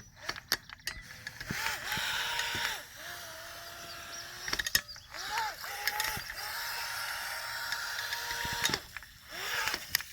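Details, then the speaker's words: Proboat Jet Jam RC jet boat after brushless motor upgrade, on a muddy pond on 2S: motor whine leaps in pitch in bursts as the jet sucks air and cavitates, losing all propulsion until throttle is lifted and reapplied. "what's going on is it's starting to suck air cavitating and then it loses all propulsion"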